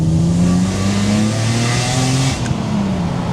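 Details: BMW E36 M3 Evolution coupe, off the road with no MOT for five years, recorded inside while driving: a strong, deep, even engine note pulling steadily over road noise, with no knocks or rattles.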